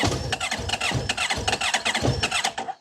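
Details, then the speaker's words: 2010 Honda VFR1200F, throttle fully closed: starter turns with uneven, stumbling firing pulses for under three seconds, then the engine dies and won't hold an idle; with throttle open it runs, smokes heavily and is over-fuelling, cause unconfirmed. "yeah. If I open the throttle, it does run. Smokes a lot. It's over fueling. And then it dies."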